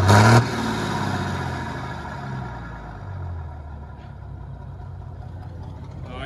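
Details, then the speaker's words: Hyundai 6D16 diesel, after head retorque (80 then 180°), fires quickly and settles to a steady even rumble as it revs, no knocks or misses. Normal start and rev. "nha mọi người Ok rồi tính ra cái máy này Hên quá không có không có bị lệch tăng rồi"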